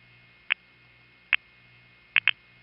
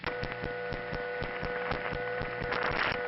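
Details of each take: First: Panel switching office in New York City, 1977 recording of dial pulsing: two clean pulses, then a third pulse doubled into a quick pair from a bouncing relay contact, making the midtown tandem count four instead of three pulses. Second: 1977 Bronx Kingsbridge central office, panel supervision test call with pulsing ticks muted: steady mains-type hum with a constant tone stack and faint regular ticking; that office's normal power-supply noise.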